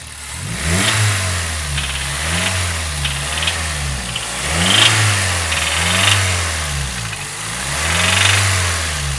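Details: Toyota Corolla Runx 1NZ petrol engine blipped repeatedly, dull knock under the revs from a worn connecting rod bearing; heavy carbon deposits inside, oil pan to be removed.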